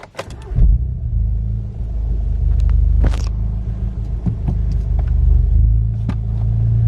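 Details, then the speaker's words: VW Golf GTI with a larger turbo on the standard map, owner suspects fuel starvation as it splutters around 3,000–4,000 rpm coming on boost: cranks, catches and settles into a steady even idle with no miss; idle healthy. "right so idle okay"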